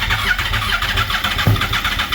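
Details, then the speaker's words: Redneck golf cart with 200 hp engine, first start attempt after months sitting: steady cranking with one short pop partway, engine fires once but never runs. "Oh. It kind of did a half fart there."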